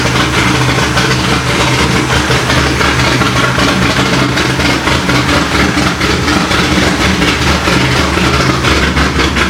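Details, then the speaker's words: Corvette C6 Z06 first start after B3 cam and McLeod RXT twin-disc clutch install, with ported heads, FAST 102 intake, 65lb injectors, 1-7/8 headers, straight-pipe axle-back, E85 tune: loud, choppy, evenly loping V8 idle, no ticking; healthy, air-fuel close. "so there you have it guys b3 cam install along with the rxdr twin disc clutch and it sounds it sounds good"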